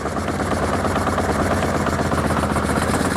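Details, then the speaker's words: 1981 Honda CB750K, sat over 20 years, on a test carb, at about 1000 rpm: steady buzzy drone with an uneven, lumpy beat; owner suspects it isn't running on all four cylinders. "1000 rpm it doesn't sound right i don't believe it runs on all four"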